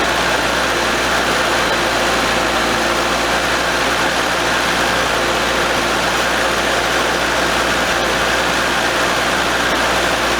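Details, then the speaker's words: 1982 Nissan 720 King Cab, new carburetor with the choke not opening, engine hot: steady, fast, slightly rough idle that won't come down even with the choke held open; a vacuum leak is suspected. "it won't idle down even if i open the choke up and hold it with my hand it starts island rough and they don't want to idle down"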